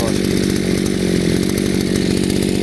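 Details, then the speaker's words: Chinese two-stroke brushcutter after carburettor adjustment turned too rich: busy, rapid buzz holding one speed, never pulling harder, no traction; the engine chokes and lacks power. "There is no traction. You can feel the difference right away."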